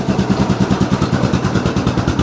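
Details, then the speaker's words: 2002 Yamaha Grizzly 660 single-cylinder ATV, sat 8 years, running cold with idle slightly raised: an even putt at about ten beats a second, steady and clean with no misses or clatter. A healthy idle. "that sounds really really good this like i said this thing hasn't ran in eight years"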